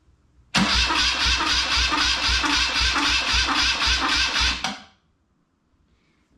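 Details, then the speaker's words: BMW R100 airhead after full rebuild, coils disconnected, cranking on small Alliance battery in five-second bursts while oil pools at the rockers; strong even cranking about two compressions per second for four seconds, no firing; normal starter cranking. "let's see that the little alliance battery is kicking her over nicely"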